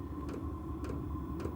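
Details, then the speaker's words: Diesel garage heater, already warm after 51 minutes on high, restarting: sharp ticks about every half second over low fan rumble from the fuel pump/injector pulsing; normal startup. "so as it's starting up you'll hear this clicking noise I hope you can hear"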